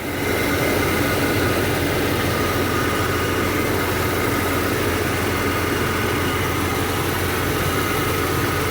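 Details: Jeep XJ six-cylinder idling after its new battery, drained by dome lights left on a week by an open hatch, was recharged; alternator working: loud constant rumble and rush, no misfire gaps or surging; normal idle.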